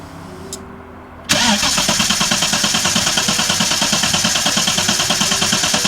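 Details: VL with rebuilt distributor refitted, timing light attached: engine catches sharply then settles into an uneven, lumpy idle with irregular pulses; still not right after the distributor work. Rough running after start, possibly ignition related.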